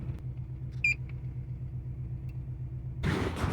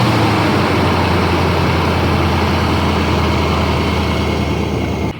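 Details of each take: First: 2005 Nissan Armada V8 shaking at idle: low, lumpy, pulsing rumble with a short beep; code P0308, cylinder 8 (bank 2, near firewall) misfiring, fixed by replacing ignition coil and spark plug. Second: 2005 Nissan Armada V8 after a P0308 cylinder 8 (bank 2) misfire was fixed by replacing the spark plug and ignition coil: the engine, which had shaken badly, now idles smoothly with a steady even rumble and no stumbles.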